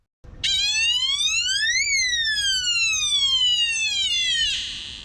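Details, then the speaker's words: Van water leak alarm, normally near the wheel well cover and possibly 9-volt powered, tripped while driving because the kitchen water pump was leaking. A shrill tone sweeps up, then slides down over about four seconds; water leak alarm sounding. "My little water alarm right here went off while we were driving, and this water alarm is usually way back here by the wheel well cover, and it started squawking."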